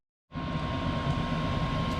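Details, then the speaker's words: 5kW Chinese diesel air heater in a bus conversion after 20 minutes of running, first use, with fan and fuel pump active. Steady even roar with a faint fan whine, no pulsing or popping; running normally. "this has been running now for 20 minutes this is an hour and 17 minutes but that's total run time so they turned it on it shows the fan running the fuel pumps on and the glow plugs are running if that's what that means and intake and exhaust is Fanning that's pretty nice"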